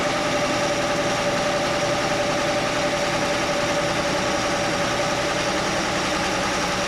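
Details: Chevy Nova straight-six at steady idle with the valve cover off: fast, slightly uneven light ticking; stethoscope on each rocker stud found one ticking, and tightening that loose rocker arm while running quieted it.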